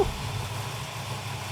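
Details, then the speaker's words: Freshly rebuilt muscle-car V8, first start after fitting new heads, intake and valve covers, oil pressure good: deep, lumpy idle from a big thumping cam, steady and clean, quick throttle response. Normal idle. "holy cow the engine runs absolutely fantastic I like the mother thumper because it is a thumping Cam"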